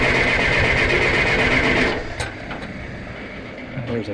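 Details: John Deere 480B diesel during fuel system bleeding with injector lines cracked: starter churns about four strokes a second for two seconds, engine never fires; likely air still in the fuel.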